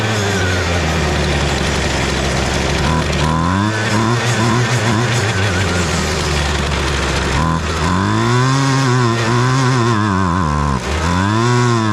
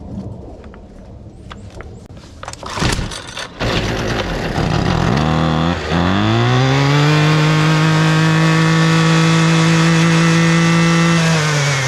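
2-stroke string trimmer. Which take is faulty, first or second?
first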